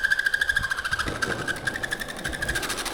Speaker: of course when I try to show it off it it rolls normally that was my bearing making that sound